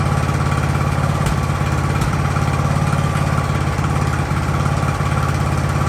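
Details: Ariens hydrostatic-drive riding mower, sat at least two years, idling in neutral in a cramped shop at about 30 degrees: steady, even single-cylinder idle with a low regular thump, no stumbling or dying; normal idle.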